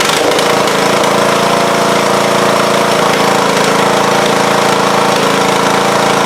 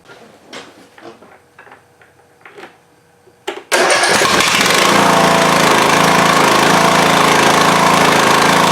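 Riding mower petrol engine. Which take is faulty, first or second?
second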